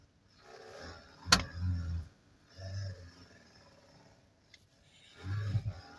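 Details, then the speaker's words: 2022 Hyundai HB20 with no steering warning lights: low groaning bursts of about a second, coming and going as the wheel turns in a quiet cabin; steering column noise, a common HB20 fault, fixed by removing and repairing the column. "Esses HB20, eles estão tá dando muito problema de barulho na coluna. Eles dão barulho, né?"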